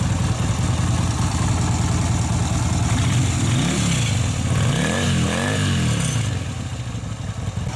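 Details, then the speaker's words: Yamaha Virago 250 V-twin after a service with new oil filter, air filter and spark plugs: it revs up and down with a loose tinny clatter over the exhaust note. Loose baffles in one exhaust muffler. "hear there's some loose obviously loose baffles in the one of the exhaust so there's stuff coming out of there"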